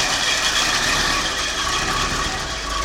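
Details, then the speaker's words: 1972 Lincoln Continental, 460 ci (7.5L) 4bbl V8, cold on the carburetor choke with foot off the gas, given plugs, points and condenser: steady, even fast idle with no misses or knocks and no smoke, fuel mixture just right. A healthy engine. "running very slowly but uh that's actually a Testament to how good a shape the engine is in because it's hard on a motor to start it up cold like that"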